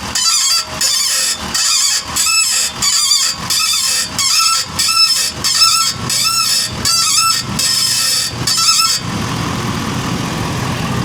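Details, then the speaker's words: 2023 Ford F-450 Super Duty, 50,000 miles: harsh scraping groan in bursts about every second as steering is worked while the truck is lowered onto its wheels; front ball joints on this side worn out, noisy under load. "So I think this pretty much confirms that the ball joints on this side are just trashed. They are noisy with the load."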